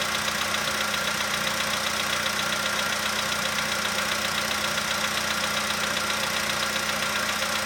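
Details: 2015 VW Polo sedan warming from cold, engine around 20°C, outside −2.5°C: light steady tick about two per second over smooth idle, quieter as it warms; owner suspects cold valve or hydraulic lifter, unconfirmed.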